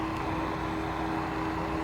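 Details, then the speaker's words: Solar P1 3.0 electric scooter climbing a grade of nearly 18%: steady mid-pitched whine from controllers and motors under heavy load, speed maintained without cutting out; motor and controller whine under climbing load. "And so far we can hear the controllers and the motors whining a little bit. They're definitely not digging it, but they're doing it."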